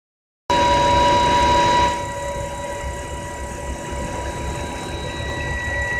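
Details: 2010 BMW E90 325i: clear high steady whine over a quiet engine, strongest in the first two seconds then fading; comes and goes, cleared by restarting but returns next day; cause not pinned down.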